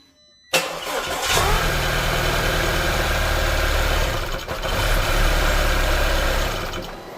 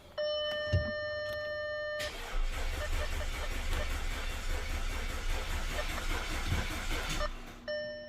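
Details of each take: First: Audi A4 2.0L turbo, first start after big repairs, no coolant in the engine: quick crank, catches and runs evenly about six seconds, then the ECU shuts it off automatically for low-coolant protection. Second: Audi A4 2.0L turbo, first crank after major engine repairs, fuel pump fuse pulled, coils and plugs fitted: dash chimes, then about five seconds of brisk, even cranking with no dragging or clunks; starter and compression sound healthy.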